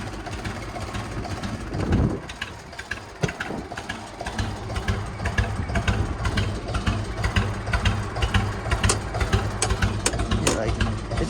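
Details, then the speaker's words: Lumpy, uneven putt-putt idle with a loping beat about twice a second from a computerized tractor; owner suspects computer issues and it seems to fire on only 2 cylinders, throttle doesn't help, not confirmed. "Yeah, this tractor's got like computer issues or something. Look at that, how interesting that is. It's like only firing on 2 cylinders or something."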